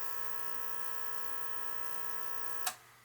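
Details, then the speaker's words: Beckett oil burner on a two-pipe system that won't fire: steady electrical hum with no spin-up, then a click and silence; burner motor stalled against a bound-up, seized oil pump, cooked smell noted. "nope the thing didn't stop see that was just humming the motor's not stopping we got a bad motor or something"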